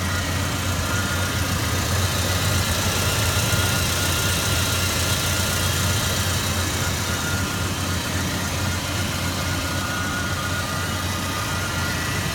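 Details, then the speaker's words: 1999 Chevy S-10 2.2L: steady idle with uneven low pulse and slight stumble; rough idle, scan codes P0301 cylinder 1 misfire and P0141 downstream oxygen sensor, cause not confirmed. "the problem that I'm having is that it's got a very rough idle"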